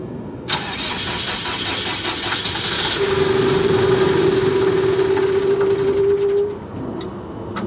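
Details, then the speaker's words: Cat D3K2 dozer diesel after a dash warning light, fuel tank just filled, no leaks, oil good: cranks, catches reluctantly, runs unevenly and stumbles without settling; hard starting and rough running. "Well, it doesn't even want to run."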